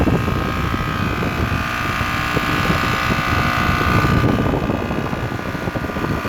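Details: Home HVAC unit running unusually loud, heavy steady roar with faint rough flutter; no ice observed inside.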